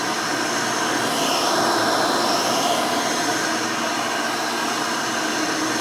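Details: Rebuilt Hoover Elite 600 upright vacuum with new 7 amp motor and 20-blade fan running; steady high airy whine at constant pitch, no rattles or grinding; smooth, fairly quiet, like the original 6 amp, healthy.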